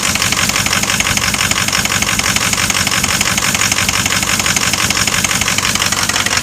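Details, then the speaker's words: 2006 diesel idling rough with loud clatter and an uneven, stumbling beat, missing badly; a broken, leaking exhaust pipe was also found; misfire at idle. "And it's missing like a mother."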